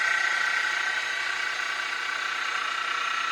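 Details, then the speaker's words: Mini mill after a Little Machine Shop belt drive kit upgrade, running in low gear (up to about 1100 rpm): steady high-pitched spindle whir with a light even ripple around three per second, lever rubbing noise gone; normal running. "I had to use that moly grease. So we got rid of that noise as well too."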